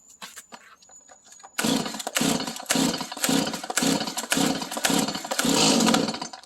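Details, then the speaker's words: Stihl chainsaw, cold on full choke, unstarted for a couple of weeks, fresh gas added: light cord rasps, then a string of sharp pops about twice a second as it briefly catches (the "burp"); cold-start first fire on choke. "I just put some gas in it, and what we're going to do is hear it kind of start to fire for a moment, or people call it like a burp."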